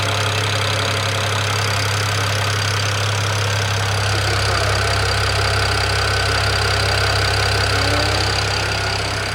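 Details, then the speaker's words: BMW E92 335i with swapped-in E90 engine from a parts car, all 24 valves lapped after low compression (cylinder 4 exhaust valve), first start after swap: starts quickly, steady even idle, no squeal, seems to have compression, no check engine light; normal idle. "this is good as far as anything major the engine didn't squeal sounds like it's got compression it starts pretty quickly"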